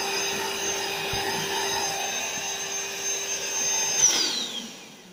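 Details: AeroBed Deluxe Raised double air bed with a pinhole puncture the owner places in one corner. The built-in pump makes a steady high-pitched electric whir with an even hum, then the pitch drops as it switches off: normal pump operation.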